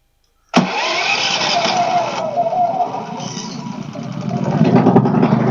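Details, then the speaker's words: Pulsar inverter generator after freeing an intake valve stuck with gum from stale fuel, which had caused backfiring and no-start: a quick crank, then it catches and settles into a steady, even run with no stumbling or knocking. "I don't know why it wasn't dying but it's running that's all that matters"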